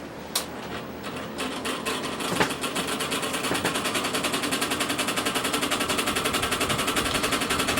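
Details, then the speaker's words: Vintage Bersted electric fan with oscillation switched on: fast, fairly even ticking near three per second over the fan whir as the oscillator sticks and binds, cause unknown; oscillator mechanism clattering. "so okay this thing's it's stuck there's something going on here something is okay quit it jeez"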